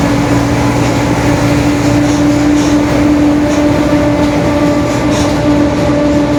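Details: 2021 Marcopolo Torino S urban bus on Mercedes-Benz OF-1721 BlueTec 5 diesel chassis, extended length, recorded while driving: steady low hum with a constant drone riding over the diesel, a growling worn rear differential.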